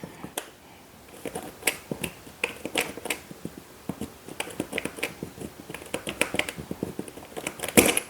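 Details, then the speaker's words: Luggage combination lock: light irregular clicks as the dial turns, with louder snaps where the wheel jumps and skips a gear instead of turning smoothly, indicating a broken lock. "still jumping see it's not going to work because you can hear that that's just still skipping the gear when you turn it it has to be smooth like that"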